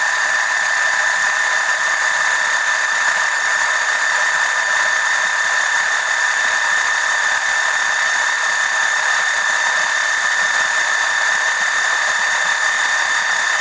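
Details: Electric oil transfer pump extracting oil during an oil change on an OMC 140 boat engine: steady even whine at a fixed high tone, no surging or rattles; the pump runs fine.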